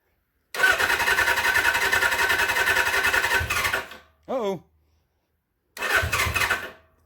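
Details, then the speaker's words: 1979 Suzuki GS750 sitting since 1984, first start attempt, float bowls possibly not yet filled: uneven cranking with the engine catching and firing in ragged bursts then stalling, then a second short try; it is trying to start but not running. "listen to that it's hidden let's take chuck off it wants to almost"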